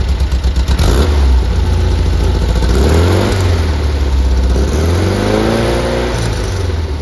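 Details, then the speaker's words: 1973 VW Squareback flat-four after rebuild, worn carbs: deep even idle burble with smooth throttle blips, no misfire or stumble; normal idle. "but now running lovely yeah these carbs are worn I've said in a previous video"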